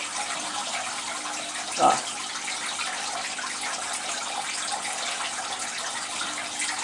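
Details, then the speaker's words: All Pond Solutions external canister aquarium filter right after priming: constant watery rush and hiss with a brief gurgling splash, like a washing machine; air still trapped inside the canister. "and you layer it you lay like it sounds like a washing machine you lay water splashing about inside"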